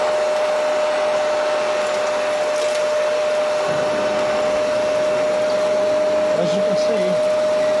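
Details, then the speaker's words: Kenmore vacuum powerhead after cleaning, debris removal and belt replacement: a steady airy roar with one clean, even whine and no rattle or grinding, working better and much quieter than before. "working better, and it's a hell of a lot quieter."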